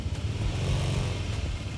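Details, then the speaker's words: Honda ADV 160 at about 1,000 km, after a CVT rebuild following Bromo dust damage (overheated, scored pulley bowl). At light throttle a smooth, even drone with no take-up shudder; idle is unchanged, with slight vibration remaining. Normal CVT operation. "Kalau idle sama aja sebenarnya. Tapi kalau misalnya kita gas dikit lebih halus. Udah enggak gredek gredekan kayak kemarin."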